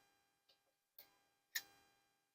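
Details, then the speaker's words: Sony MDS-JE510 MiniDisc deck after repositioning the slide push switch: faint click, sharper click, then a firm clack as the disc ejects cleanly first time, no grinding noise. "lo expulsa a la primera y no hace ruido"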